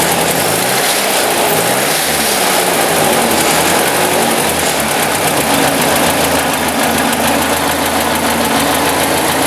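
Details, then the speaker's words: 1956 Ford NAA tractor, 134ci four-cylinder, after Pertronix 1244A electronic ignition conversion replacing points: steady, even idle with no misses, stumbles or bogging; timing sounds right, smoother than before the conversion. "Nice smooth idle. Okay, all think we're going to call this a job done. Actually, I can tell already it seems to be odd and smoother than it used to."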